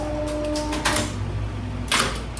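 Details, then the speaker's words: FIAM TER 2AC hoist controller with relay flip-flop logic: hum drops as the hoist motor slows, then a contactor clacks at the last moment, injecting DC into the slow-speed winding to hold the motor at zero speed, normal. "DC from this little contactor up here direct into one cross one winding or possibly two um to hold the motor at zero speed"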